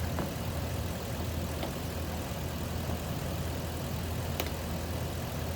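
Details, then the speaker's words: 2004 Lexus GX470 V8 after fixing a high-pitched squeal, blamed on a weak serpentine belt tensioner: low, smooth, even idle with only a faint occasional tick and no belt squeal; running cleanly. "No noise. Nice. It looks like it's running smooth."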